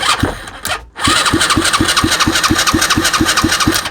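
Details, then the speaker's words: Used Chinese 125cc engine with electric start, 3-forward/1-reverse transmission and old fuel: even starter churn, about six beats a second for three seconds, no firing; no spark found. "And this should start it. I wasn't paying attention to this at all. No spark, none at all."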